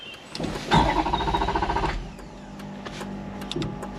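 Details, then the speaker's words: Wrecked Ferrari 430 Scuderia after a battery reset, with the fuel light on despite fuel in the tank and the F1 pump audible. The starter spins the engine about 1.5 seconds with an uneven churn but it never fires; crank, no start from a tripped fuel cutoff switch. "let's see what happens oh we got movement not firing up mate uh"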